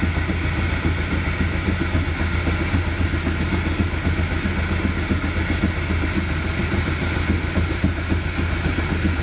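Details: 2017 Mercury 90hp four-stroke Command Thrust outboard in guardian mode with six-beep alarm; after changing a sensor the code clears but low, lumpy idle rises and falls and stalls; owner suspects fuel line or filter, later found bad IAC valve. Rough idle.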